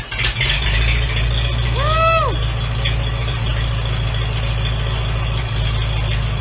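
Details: 1942 Farmall H tractor, first start after rebuild with a donated rebuilt magneto: low, steady thrumming with an even firing beat and a brief whistle over it; engine runs smoothly and holds speed.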